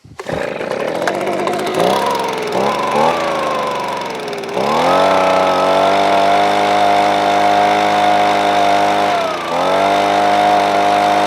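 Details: Titan leaf blower that would not run, safety switches bypassed leaving only on-off switch, choked, primed and pulled: catches after a few rough pulls, then steady high-pitched buzz that briefly dips and recovers; running normally, switches off properly.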